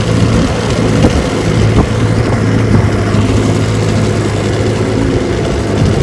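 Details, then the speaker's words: 1968 Johnson/Evinrude 9.5 HP outboard, restored, on the water pushing a 14-foot Feathercraft about 17 mph: steady, even drone at constant speed, no misses or knocks; running healthy. "Alright, I got the JohnnyRude out here on the water. She runs just fine. Pushes my 14-foot feathercraft about 17 miles an hour."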